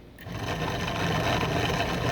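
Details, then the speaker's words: John Deere Model A generator bench-tested as a motor, field shorted to chassis; whir builds quickly then holds an even spin with no grinding or catching; armature side working, generator motoring normally. "So, that's a good sign that um at least the armature side of the motor is working properly."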